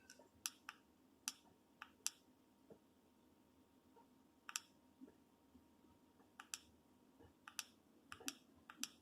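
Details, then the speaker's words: Chinese diesel heater installed under a VW Vanagon, running on low: crisp light clicks about every half second over a faint steady fan hum; pump frequency and fan speed rise when turned up: normal fuel pump ticking. "click click might be able to hear that and crank it up so we'll speeds up the frequency of the fuel pump automatically adjusts the fan speed anyway"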